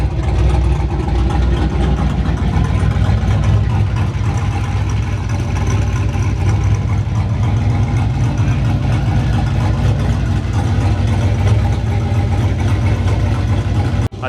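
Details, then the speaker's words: Single-turbo Chevrolet Silverado, open pipes, after warming up (cold start may still need tuning): loud deep idle with loping uneven chop about four pulses a second; healthy warm engine with aggressive cam. "so this is pretty much what it sounds like right now and this is after warms up"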